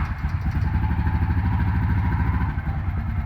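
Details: 2003 Honda small single after choke-cable and carburetor repair (carb was full of mud, choke seized), test run on choke: even low thumping beat, steady, no misses, rattles or knocks; runs cleanly.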